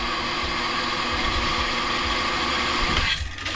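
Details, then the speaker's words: Household water pump with a pressure tank: motor hum builds pressure for about three seconds, then cuts off. Pressure flows back from the tank, felt on the pipe, so the pump restarts; it has no built-in check valve. Slight leak at threaded joints near the pump. "I teraz ewidentnie słychać i nawet czuć na rurze, że ciśnienie wraca do zbiornika i dlatego pompa znowu za chwilę się załącza, pracowała w trybie ciągłym. Myślałem, że pompa sama z siebie będzie miała jakieś zabezpieczenie, jakiś zawór zwrotny. Okazuje się, że nie."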